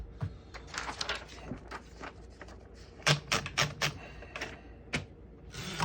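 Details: 1948 Royal Quiet De Luxe portable manual typewriter, typing along a line toward the margin: crisp, uneven key strikes about four a second, landing cleanly, bell sounding near line end marking the margin; working properly.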